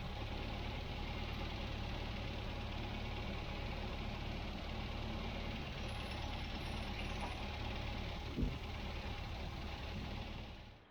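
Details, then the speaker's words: 1967 MGB Mk1 after carburettor reinstall and retune: smooth, even idle holding steady before switch-off, carburettors well balanced; car running well, normal idle. "Okay, the job is done. The car's running well."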